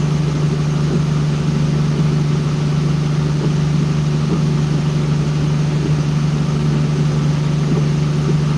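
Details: Boosted engine on a dyno after ignition timing was added: a steady, even idle with a firm low drone and no knocks or misses. The added timing changed the engine's tone, making it sound smoother and settled.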